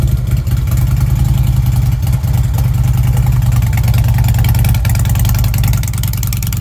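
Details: Fuel-injected Harley Ultra: deep even V-twin lope at idle with a couple of mild throttle lifts; pulses stay steady and it runs cleanly.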